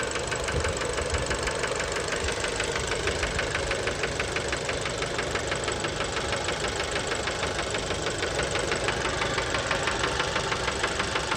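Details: Fiat Bravo 2 1.4 T-Jet 150 HP, 215,000 km, after recent maintenance, idle recorded close to the engine: sharp metallic knock about three times a second, steady and insistent; worn rod bearings, cause unknown, car scrapped.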